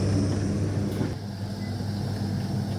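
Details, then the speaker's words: AEG Electrolux Lavatherm 59800 condenser dryer after the blower fan repair and reconnection, test program with a few cloths: a steady low hum and smooth fan whoosh with no rattle or scraping; the blower motor now runs normally. "And can actually hear the motor now. I couldn't hear it before, I just assumed it was on."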